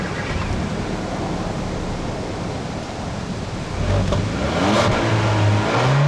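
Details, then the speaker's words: 2016 Kia Optima 1.6L turbocharged gasoline direct-injection four-cylinder at idle: light, fast, even tick about three per second over smooth idle, normal direct-injector ticking characteristic of a DI engine, not a fault. "the GDI stands for gasoline direct injection you can hear it ticking away that's a normal characteristic of a DI motor"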